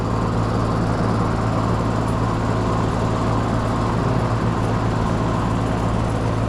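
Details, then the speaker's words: 24-year-old Carrier heat pump with a dead condenser fan motor: a heavy, strained, labouring compressor hum with no fan whoosh, audible from a distance, as the compressor overheats on high head pressure. "You can hear that noise when it's starting to go out on high head pressure and the condenser fan's not running."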